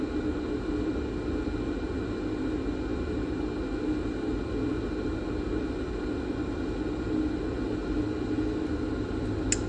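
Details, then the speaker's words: Nakamichi DR2 cassette deck during restoration, capstan motor on the bench before oiling: a steady, loud hissing whir with a faint rough edge and no rhythm, from dry motor bearings. "Now we need to desolder this board to open motor and have possibility oil both bearings in it."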